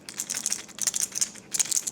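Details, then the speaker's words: 20-year-old garage door roller, old, shaken by hand: loose dry maraca-like rattle in quick bursts; worn bearing, being replaced with a sealed-bearing nylon roller. "So, here's the old rollers. And uh kind of sounds a little bit like a Moroca."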